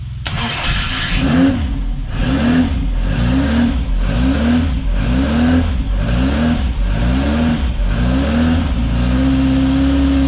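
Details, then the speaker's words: Ford Crossflow race engine in TVR Vixen, rebuilt after damage with loaned cylinder head, compression about 130-140 psi, first start: catches after short crank, quick blips, then steady even idle with no knocks or misfires. "and of course at the moment seems like it runs through a winner we'll see how it goes"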